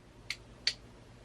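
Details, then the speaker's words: Relay in a fuse block being wired for a 2JZ to E46 BMW swap clicks as power is applied across pins 85/86, switching 87 to 30; three crisp, sharp clicks, a normal relay operating cleanly. "so what happens is when you hear this noise whatever is on the yellow which is 87 goes to the 30 which is the blue or vice versa"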